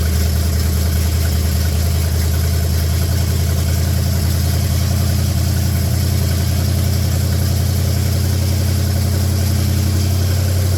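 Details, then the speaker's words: 1966 Buick Special with a 350 V8, just started for the first time: deep, steady open-exhaust rumble with even firing and no misses or knocks; healthy idle that settles down well, with little smoke that smells of gas, not oil. "e all right hey that's pretty fraking nice Sound and Music there isn't it sounds like the old 350 is going to be pretty good"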